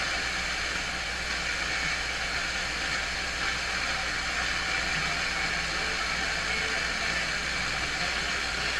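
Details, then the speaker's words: Telefunken Jubilate Delux 4561W AM/FM/SW tube radio on FM at first power-up through dim bulb: even unbroken rushing hiss, no station received; antenna not connected properly. "maybe I didn't get the antenna right gosh yes I did not did you hear that this thing is just hopping"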